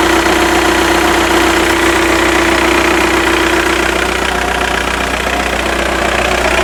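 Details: Octavia 1.9 TDI ALH, about 165 bhp, idling warm at 50C with an even, fast ticking rattle about four per second over the diesel clatter. Alternator bearings and pulley, clutch and timing belt were already replaced; the cause is unclear.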